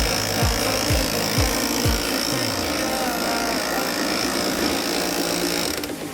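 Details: OKI B412 laser printer running: rough buzzing gear chatter; suspected back side gear near fuser and toner cartridge gear causing noise.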